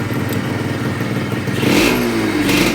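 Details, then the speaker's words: Yamaha RXZ 135 two-stroke motorcycle at idle after about half an hour of running: busy idle with a metallic clatter and a hum, as if metal were touching somewhere, persisting through a short blip. Source not pinned down. "bir uğultu var sanki bir demir bir yere mi değiyor boşa"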